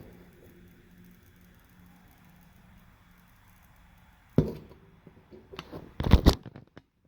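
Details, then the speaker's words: Vizio E550VL LCD TV whose backlight comes on then goes off: low hum, then a sharp snap and a cluster of crackling pops, like electrical arcing; owner suspects poorly connected CCFL lamps, with the backlight returning after the spark, not confirmed. "yeah I did hear some sparking uh sound in this side of the the screen like the ccfl lamps is not connected good"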